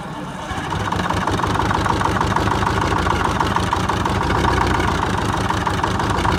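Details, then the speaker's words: 1978 Chevy Bruin, 8V71 Detroit two-stroke diesel, cab off, first start after fixing no-start issues, no coolant: busy even idle with rapid steady firing, no knocks or misses; fluid spewing from disconnected power steering line; normal idle. "okay that's much better seeing that little bit of stuff spewing out of where the car steering pump line came off but that's how cool old Detroit stok supposed to sound"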